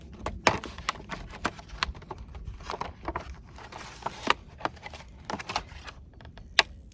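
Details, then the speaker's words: Country Way electric fence charger connected to pig paddock wire: sharp dry clicks roughly every second over a quiet room, normal energizer pulse showing it is on and working. "I can hear it clicking, so I know it's working."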